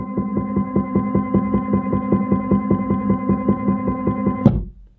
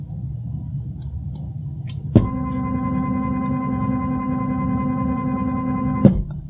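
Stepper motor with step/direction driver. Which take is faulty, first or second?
first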